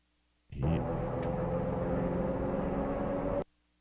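A steady droning roar with a faint humming tone underneath, holding even throughout; tire noise from the road.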